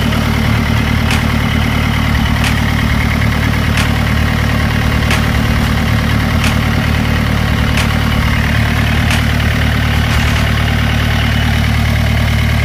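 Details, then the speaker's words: Renault Duster 85PS diesel, previously a no-start with uneven rail pressure despite checked pump, injectors and rail: a steady, even idle with a smooth low clatter and no misses, running on the new wiring harness that fixed the fault. "Wiring போட்டு பாத்தோம் வண்டி ஸ்டார்ட் ஆயிடுச்சு"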